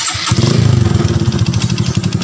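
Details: Honda Supra X 125 FI after replacing an injector whose filter was clogged and causing hesitation: single cylinder catches and settles into a quick, even putter with no misses, knocks or rattles; normal idle.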